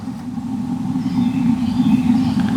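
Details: RV Suburban water heater's gas burner after ignition clicking, steady low rushing roar building slightly in strength, burning normally on LP gas in an RV unused for a couple of years.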